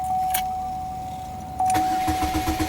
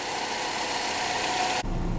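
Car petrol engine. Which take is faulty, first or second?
first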